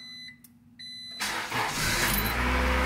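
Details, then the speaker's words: Honda/Acura distributor-ignition car, first start after replacing the distributor's internal ignition coil: a few chime beeps, then the starter catches and the engine fires straight into a steady idle; a clean, healthy start. "it starts so that's how you change the coil and you see Sound speed dog good"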